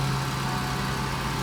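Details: Ford F-150, vacuum lines cleaned, after start: smooth even low hum with steady firing, no knocks or misses; normal idle.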